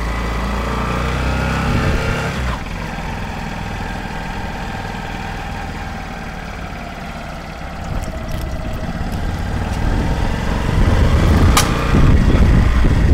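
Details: Honda CBF125 M-9 motorcycle at idle: small single thumping with a faint wavering whine and a sharp tick near the end; strange noise, cause not evident, owner seeking help.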